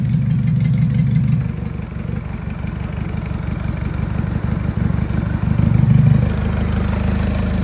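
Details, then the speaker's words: Beater car being built into a turbo drag car idles unevenly with a lumpy, surging beat and level dips after a sensor is plugged in for testing and leak checking (unsure which is upstream/downstream); rough running, cause not pinned down. "she did not like that I wonder know why it's running like crap"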